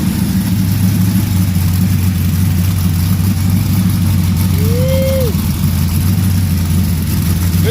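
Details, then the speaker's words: 1974 Chevy Caprice freshly built V8 with new headers, plugs, wires, thermostat and an aftermarket high-power starter, run at the machine shop: deep, steady, even idle burble with no knocks or ticks; healthy engine. "all right she's sounding great"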